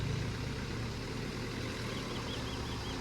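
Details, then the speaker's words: Maruti DDiS diesel with about 1.5 lakh km: even low idle rumble with no knocks, rattles or misses; healthy normal diesel idle. "दोस्तों ये इसकी आवाज भी थे ऐसी बिल्कुल भी पता नहीं चलता है कि ये गाड़ी 1.5 लाख किमी चल चुकी है। ऐसे ही Maruti को नेशनल इंजन ऑफ ईयर का अवार्ड नहीं मिला है।"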